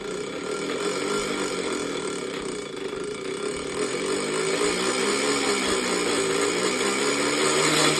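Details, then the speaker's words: Minka Aire San Fran ceiling fan before restoration: loud rough grinding roar with pitch gently rising and falling, no clean hum underneath; dry bearings suspected, source not obvious. "this Fan's dry bearings will destroy your eard drums are you ready here it comes as you can see that is not a good sound sounds like a race"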